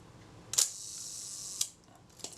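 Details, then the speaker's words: Kodak Retina Reflex type 025 camera during a service, shutter release pressed very slowly with the top cover held on: a crisp click, a light whir, then a sharp snap. The film release fires just before the shutter, which is the correct timing. "seems to me they're going it very much the same point that's just ideal and it's not normally the case ha that was the film release so the film release fired before the shudder"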